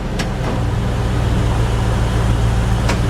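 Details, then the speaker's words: 1997 Land Rover Defender 90 automatic during a transmission service, with about 3 quarts of ATF added and the level not yet full, before warm-up: steady idle with a soft thunk as reverse engages. Normal engagement, no slam or flare. "Now we're just going to bring right back up to drive neutral and we should hear it engage into reverse"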